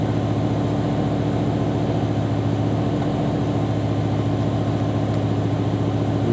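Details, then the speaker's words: BMW M5/M6 S85 V10 steady idle with a faint uneven stumble, one cylinder dropping out; seven stored codes including cylinder 9 misfire, traced to its failed ignition coil. "there we got a misfire on cylinder nine as one of our codes says we got seven in memory so misfire cylinder nine"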